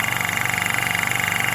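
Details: Hill EC-3000 EVO high-pressure compressor, first run, filling a 1-litre bottle from 180 bar with fan running: steady rapid pulsing about 25 beats a second over even hiss, no knocks; running smoothly.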